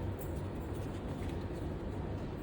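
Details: Front-load washing machine in Dubai, after a home repair fixing a drum that would not turn, spinning through about 100 to 280: steady low hum with even rumble, no scraping or knocking. Normal drum spin.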